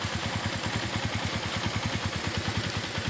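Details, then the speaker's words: Suzuki Shogun 125 RR ("Shogun robot") after a major service for hard idling: starts straight away, lights no longer flicker, and it holds a steady, smooth single-cylinder beat. Normal idle. "langsung udah enak tuh lampunya nggak kedip-kedip langsung udah enak suara langsung juga halus karena mavis tentu kerja nggak banyak"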